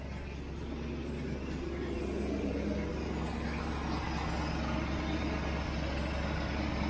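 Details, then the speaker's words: Freshly rebuilt 1967 Mustang 390 V8 idling while still warming up: a smooth, even low rumble with no ticking or knocking. It runs much better than before, with little smoke; a ruined gasket is noted. "My gosh, that sounds good. No ticky ticky ticky. No knock knock knock."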